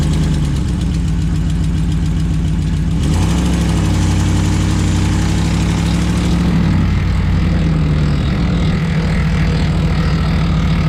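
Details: 2011 Ram 1500 at idle: loud, deep idle with a busy metallic chatter on top for the first few seconds; an idle rattle whose source isn't pinned down.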